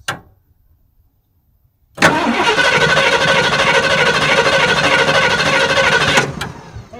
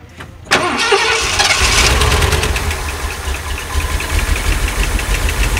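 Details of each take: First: 1979 Ford E350 Scamper motorhome with a 460 big-block V8, first revival attempt: after a pause, the starter spins the engine steadily and evenly for about four seconds. The starter works normally. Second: 1979 Ford E350 Scamper motorhome with a 460 big block, first start after sitting, on fresh fuel with the carburetor leaking: cranks and catches, then idles with a busy, fast valve train clatter; it has oil pressure, hoped to quiet down.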